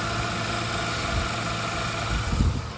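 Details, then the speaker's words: 2003 Mercury Grand Marquis at idle after replacing the screeching idler pulley and serpentine belt: steady, even idle hum with no squeal or chirp, belt drive now quiet and healthy. "Oh, it's quiet again. Pretty easy to repair."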